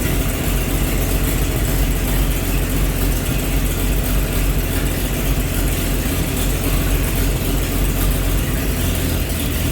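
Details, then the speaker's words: 1948 Chevy truck engine, not run for 30 years, diesel fuel in the oil pan, new coil fitted: low steady idle with an even beat, no knocks or ticks; running good, slight steam from thermostat housing. "well we got her started all right so you guys heard a run you know she's running good"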